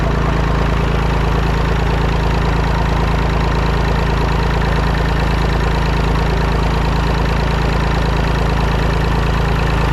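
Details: Massey Ferguson 245 three-cylinder diesel tractor (Perkins tag), revived after 12+ years, burnt/melted radiator, driven to barn; steady, even chug, firm low beat about three per second, no knocks. Normal running.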